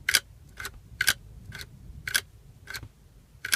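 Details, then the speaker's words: Old Toyota seat belt buckle that works properly: crisp, clean metallic clicks about every half second, seven in all, each firm and identical; the buckle latches and releases normally. "real quick though before we go back to the bench this is a properly functioning it's very old you can see they all turn pink these Toyotas but this is the way this is supposed to work"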